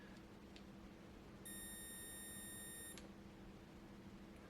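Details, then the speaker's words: Würth 3/8in cordless impact wrench, trigger pulled with the motor disconnected: steady high buzz for about 1.5 s, the same oscillation as before; two shorted drive MOSFETs with a PWM failure. "no I can hear an oscillation listen yeah it does exactly the same thing with no motor it's got to be shorting the two mosfets together rapidly hence the buzzing noise"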